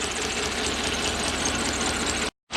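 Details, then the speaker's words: Toyota 1UZ-FE V8 (Surf/4Runner) running on about half its cylinders, igniters rarely fail so coil suspected: uneven, lumpy idle with a rough beat that never smooths; misfire from failed ignition coil. "And see, it's sitting here running on 3 cylinders quite nicely. Amazing, eh?"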